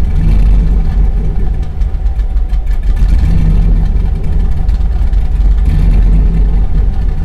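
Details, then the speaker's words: 2000 Chevrolet Silverado 5.3L LM7 with VS Racing 7875 turbo after Summit SUM-8701 cam swap, idle airflow table set back to stock in HP Tuners: lumpy idle sags and nearly dies, recovers only on throttle; insufficient idle airflow causes stalling. "yeah well won't stay running without me stabbing the gas pedal"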